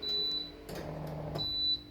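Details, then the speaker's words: RO water purifier with microcontroller control: after the start-up beep and an 18-second auto flush it enters normal purify mode; two short high-pitched beeps a second apart are the no-water warning, meaning no water is coming in. "แล้วเครื่องก็จะเข้าสู่โหมดของการกรองน้ำปกติหรือpurifyมีระบบเตือนเมื่อไม่มีน้ำ"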